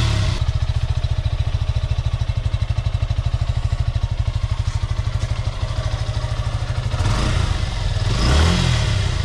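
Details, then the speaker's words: 2020 Suzuki Gixxer FI ABS single-cylinder motorcycle after tappet adjustment at a second service for tappet noise: even, steady idle beat, then a clean rev with no ticking from the valve gear; engine healthy. "Guys তাহলে তো শুনলেন যে tappet adjust করার পর এখন sound কীরকম আছে"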